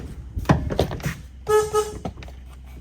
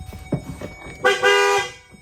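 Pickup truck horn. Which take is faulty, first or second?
first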